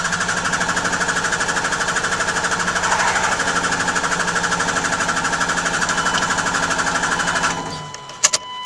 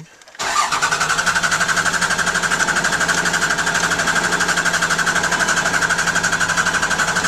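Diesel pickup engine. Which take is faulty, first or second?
first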